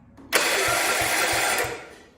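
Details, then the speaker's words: 1971 110 after flywheel and starter change: short throttle blip, engine picks up cleanly, holds an even roar and winds down smoothly; sounds much better, though ignition still suspected of problems before battery-ignition conversion. "yeah that sounds a lot better see yeah there you go"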